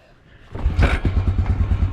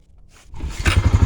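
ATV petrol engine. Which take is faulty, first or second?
first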